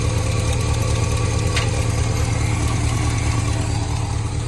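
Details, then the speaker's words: Holden HQ ute V8 at idle after draining, exhaust refit and alternator wire fix, revived after 20 years: deep, steady, even burble with no knocks or misses, manifolds burning off; runs sweetly. "It's burning off a bit on the manifolds, but this thing's an absolute sweetheart now. Lovely. Lovely, lovely."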